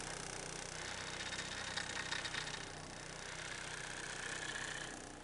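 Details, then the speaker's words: 2008 Ford Focus chasing an engine vibration, before motor and transmission mount replacement; busy idle with loose uneven rattle and buzz, body shaking; worn engine mounts. "hopefully the cameras picking that sound up you can kind of just here everything's rattling and vibrating"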